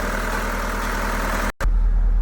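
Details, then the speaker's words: Mahindra automatic idling near 1200 rpm with check light on, misfire returning days after the dealer replaced one failed injector: steady idle with uneven, stumbling pulse and lumpy rhythm, one cylinder missing; misfire from failed injector. "फिर उसके तीन चार दिन बाद यह वापस से problem आने लग गई इंजन मिसिंग की गाड़ी के अंदर काफी ज्यादा मिसिंग"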